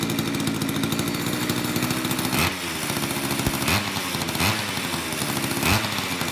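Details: Old Craftsman two-stroke chainsaw after long storage with a gunked carburetor, cold in a shop of high 50s to low 60s °F; crisp rapid burble at steady idle with throaty pops about once a second, sounds healthy.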